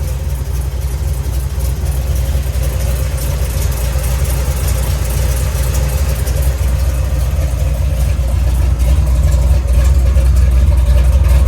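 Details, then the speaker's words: 1970 Chevy Nova big-block Chevy, after replacing water outlet O-ring with paper gasket and RTV to fix coolant leak, exhaust heard on walk-around: deep, even rumble at steady idle, no ticks or knocks; healthy. "yeah she sounds good and that big black rumbles nicely"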